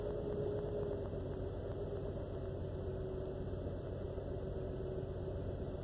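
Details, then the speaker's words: 2001 Jeep Cherokee XJ Limited with the check engine light on and flashing: idle is uneven and lumpy with stumbling pulses, as if running on four cylinders. Rough idle eases after driving; owner suspects vacuum leak, ECU, coil packs or fuel pressure regulator. "it's only running off on four cylinders and chickens and light flashes it just runs real rough it's running really weird"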